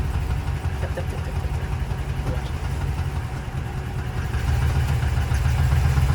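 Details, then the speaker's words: Cheap used Mercedes engine at idle: deep rumble with an uneven knock about four per second, deeper than a usual lifter tap; suspected lifters, but the noise went away when loaded, cause not found. "sounds like lifters. I would just have to start tearing into it cuz that ear is strange. Why did the noise go away when I loaded it down?"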